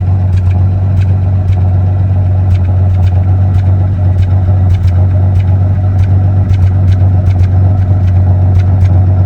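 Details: 1974 Dodge Dart petrol engine idling with a deep, uneven rumble broken by irregular sharp ticks; misfire.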